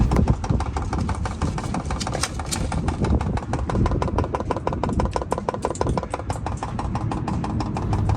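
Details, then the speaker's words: Chinese diesel heater in a caravan, long fuel line from rear tank to pump near rear axle, priming after sitting unused: rapid, steady ticking from the dosing pump at an even rate over a low hum; fuel pump priming. "there is a little bit of a fuel line there it does take a little time to prime that up which is fine i'm okay with that"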